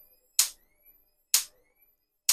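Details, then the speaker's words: 12V battery electric fence energizer, after a new capacitor was soldered in and it was cleaned with alcohol: sharp snapping clicks about once a second, where before it was silent, with a good spark seen. Normal pulsing. "contrairement à avant où on n'entendait rien maintenant nous pouvons entendre Comment le bollero fait du bruit"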